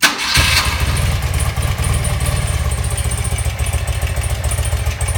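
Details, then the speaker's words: 1984 BMW R100, a 1000cc twin sport bike about 40 years old, started hot with no choke after some carb work: it fires instantly and settles into an even, lumpy low idle with a nice growl, running healthy. "bad for a 40-year-old bike, huh? And, got a nice little growl to it."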